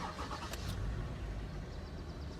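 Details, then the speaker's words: Toyota Sienna that started then died right away, codes P0351-P0356: after unplugging the shorted ignition coil pulling down the shared 5V circuit, quick crank then engine catches and runs steadily with no stalling; new coil still needed. "runs and there we go that's a fix we just need to get a new coil now"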